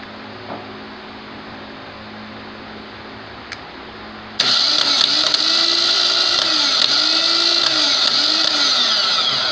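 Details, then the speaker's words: Starter bench test, likely the OEM starter from a 2010 Chevy Aveo with just over 137,000 miles, energised by switch wire and hot stud: sudden loud steady high-pitched whir with light regular pulse as the bendix drive kicks out; starter sounds healthy. "unfortunately won't be able to see the bendix or the charge drive kick out but you'll be able to hear it"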